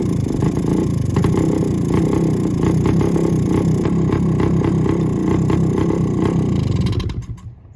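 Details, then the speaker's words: 1972 Suzuki TS185 with a 1971 CDI unit fitted, new carb and exhaust gaskets, off choke, carb not yet adjusted; fast steady two-stroke buzz idling at about 3,000 rpm, high idle from unadjusted carburetor. "it'll run but I haven't adjusted the carb at all so it's running kind of crazy it's idling at like 3,000 RPM"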